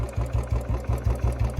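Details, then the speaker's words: Royal Enfield Bullet BS6 on a cold winter evening, after warming up and firing backfire crackles: lumpy single-cylinder idle at about five beats a second with a light metallic tick on each beat and misfires. Tappets need adjusting; the noise grows with more crackles. "ये देखो kit kit kit kit की आवाज आने लग गई और ये है ना ये नहीं है कि आती रहेगी ये अभी है ना दो-तीन मिनट बाद"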